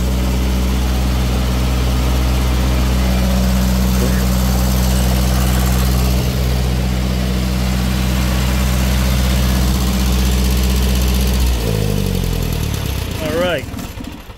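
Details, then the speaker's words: Refurbished Onan 15.0 JC generator set, originally a natural gas/propane vapor set, converted to tri-fuel and fired up for initial testing: steady, even low drone at constant speed with no knocks or misses, then winds down smoothly at shutdown; normal running. "okay so there she is that's what it sounds like everything seems to be running good"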